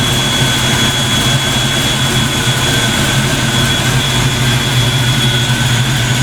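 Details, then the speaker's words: Black Ford Mustang on first fire after fitting 24 lb injectors, a 73 mm mass air meter and shimmed rockers: smooth, steady fast idle with an even drone and no knocks, misses or surges while warming up; normal warm-up idle. "so that sounds damn good i'm getting excited i think i did something right well i have to get her warmed up before i start mucking around with the throttle"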